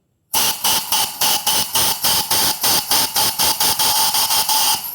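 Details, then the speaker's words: 1977 VW Brasília replacement cylinder head on the bench: a quick pulsing hiss, about four spurts a second, of air forced past the valve seat. It holds fluid slightly but still leaks; the valve seats need seating. "coisa aqui nessa outra e nessa outra Apesar de que ele ainda segura o fluido pouco né porque ainda tá ainda está vazando ainda ainda vaza"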